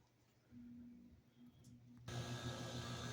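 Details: Home HVAC unit after repair, once 120 V was restored at the unit: quiet room, then it kicks on with a sudden rush of air and a steady low hum; starts and runs normally.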